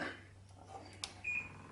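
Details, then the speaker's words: Samsung Virus Doctor air conditioner being powered back on after internal cleaning gives one short high-pitched beep as it resets itself; normal power-on beep. "and it you can hear it making a noise resetting itself"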